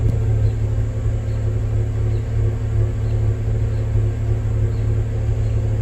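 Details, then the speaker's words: 2023 Range Rover inline-six, fully warmed up, exhaust at idle: deep steady rumble with an uneven loping beat, shaking the car; misfire, cause unknown. "thing to this exhaust it sounds like there is a misfire it was actually shaking the car too car is fully warmed up"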